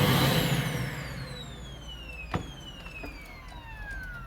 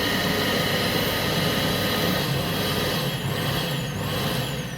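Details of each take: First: Vacuum cleaner whose power cord has broken inside near the plug: motor whine drops steadily in pitch over four seconds as it coasts down when power cuts out; fix is replacing the cord plug. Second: Vacuum cleaner after replacing a plug whose cord had broken internally: steady high motor whine with even airflow roar, dips briefly, spins back up cleanly before switching off; motor runs normally.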